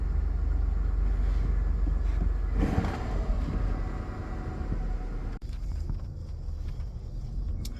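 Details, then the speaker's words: 2000 Chrysler Sebring after fuel pump replacement, first start: low, steady idle rumble with an even beat and no misses, knocks or stumbles; engine runs fine, normal idle. "Well, folks, seems to be running okay. So far."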